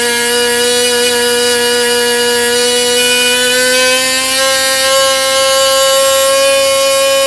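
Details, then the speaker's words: Jett .46 model engine with full tuned pipe, on a propeller test: a piercing, steady high scream near 16,500–16,600 rpm with the needle set at peak, creeping slightly higher and holding even. "I took it to the peak RPM just to find that needle position. Then I opened it up about one turn, and it went from 16,500 down to about 14,500."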